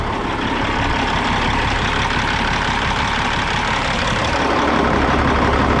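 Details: 1998 Freightliner Classic XL with a Caterpillar 3406, after primer cleaning and check valve replacement cured a failure to hold prime, smoking from the tailpipes at start. Steady, even diesel clatter with low rumble, no misses or knocks; a normal idle.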